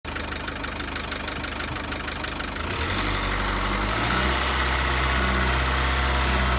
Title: Ford rattling sound #1